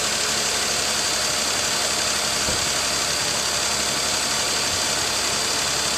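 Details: 2018 Nissan Pathfinder SL, about 27,000 miles, idling after a kerosene flush, oil and filter change and Seafoam added: steady, even idle with a smooth hum and no knocks or misses; running properly.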